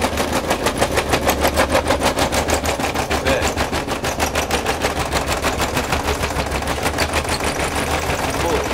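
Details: Zanussi ZTE-273 tumble dryer drying, making excessive noise: a steady rhythmic clatter of about three knocks a second with each drum turn over a low rumble. Cause: worn small support rollers that turn the drum.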